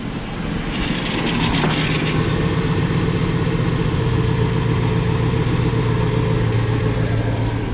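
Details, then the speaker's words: LT1 car with original Optispark cleaned and resealed after oil ingress, run without water pump or coolant: steady fast idle with odd irregular ticking and rattle, like something shaking; source not identified, owner thinks it may need breaking in. "Something sounded funny, like something was shaking or something was making noise. Who knows what that is? It's always something with this car."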